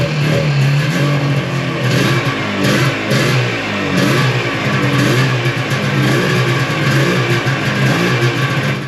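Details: 1995 Yamaha Phazer 2 two-stroke snowmobile, after five years sitting, runs ragged with revs surging and sagging; fuel starvation, owner unsure whether low fuel in the tank or a dirty carb jet, rear lowered to help fuel pickup.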